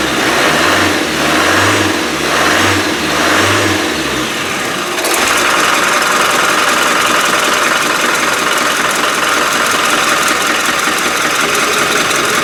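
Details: Rebuilt Land Rover 300Tdi diesel, run after a fuel pump fault was fixed, on water coolant for testing: smooth, even rev blips, then a loud, steady run with no misfire or knock; healthy.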